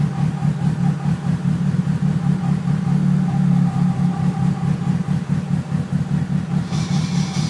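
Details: Loud, rough low drone with uneven pulsing over the idling engine after a QM twin clutch install, present only when the clutch pedal is pressed, then a hissy rattle near the end.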